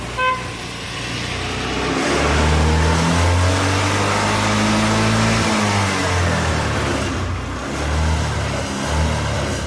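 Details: Small single-cylinder motorcycle with low compression, stalls after 15–20 km, hard to kick-start; started after oil squirted onto piston (smoke expected): uneven, low lumpy idle beat; top-end work still needed.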